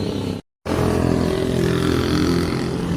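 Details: Yamaha Aerox 155 scooter that stalled and would not start with error 12 and check engine light; one side found burnt, CKP suspected, temporarily fixed, now idling steady and even with smooth low hum, check engine light still on.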